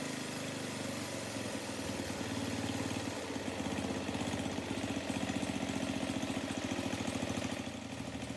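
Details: 1982 Craftsman 4 HP snow blower with a Tecumseh engine, having sat for a few years, first run after fuel line replacement. It gives a steady, even single-cylinder chatter at a quick regular beat with no misses or knocks, running like new.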